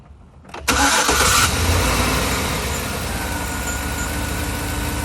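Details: 2013 Chevrolet Silverado 5.3 V8 cranks, starts and idles with an uneven, loping beat from a cylinder 8 misfire. No code has set yet, but it vibrates and feels like hitting bumps when driving. The coil pack is to be replaced.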